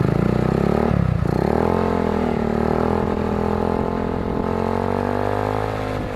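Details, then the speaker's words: 2008 Jonway GY6 150cc scooter with new eBay performance exhaust and new air filter, revved from idle: pitch rises then sags and flattens; bogs on revving, owner links it to the new air filter. "You can hear my bog down with the new air filter."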